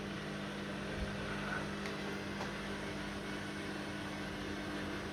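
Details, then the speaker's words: Washing machine on drain and spin: steady, even low hum with a faint whir and no knocking or grinding, normal drain and spin. "yeah it was working up people it's draining already"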